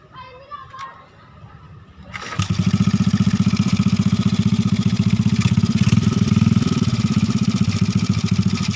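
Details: Honda Astrea Grand C-series engine, test start after fitting adjustable manual cam chain tensioner replacing rubber rollers (experiment): single cylinder starts and settles into steady, even idle putter, no obvious chain rattle or ticking; normal idle.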